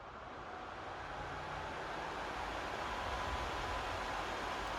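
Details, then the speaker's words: PS5 after cooling upgrades, fan speed raised via add-on dial: smooth airy rush building gradually in loudness, no rattle or scraping; fan spinning up normally at raised speed. "that has a significant amount of air and being pushed just with this little dial"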